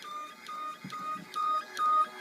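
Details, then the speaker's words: Duplex chemical feed control panel in manual mode set to 200 gallons per minute flow: metering pump running at about 1.58 gallons per hour, quiet even pulsing with a faint chirp about every half second; normal operation. "That pump's running at 1.5 gallons per hour, 1.58. So this is a means of manual operation for the pump."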